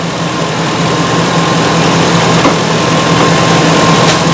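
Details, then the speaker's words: Ford E350 5.4L V8 van at idle after the misfire problem was fixed: steady, even low hum with no skips. The engine fires cleanly on all cylinders, and the idle feels smooth, a normal idle. "Nice and perfect. You can feel the idle. I can feel the idle, too."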